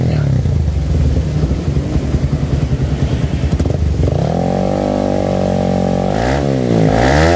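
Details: 2008 Suzuki Satria FU150 after a carburettor repair kit and a pilot jet change from the standard 12.5 to 17.5 to suit a racing exhaust: an uneven burbling idle that settles, then clean revs with quick response; running well.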